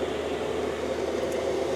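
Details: Cheap Chinese diesel heater wall-mounted in a workshop, air intake drawing from inside the garage, a few minutes after start-up with output air climbing to about 23–24°: steady, even fan whoosh with a soft mid hum, no surging or knocking; running normally.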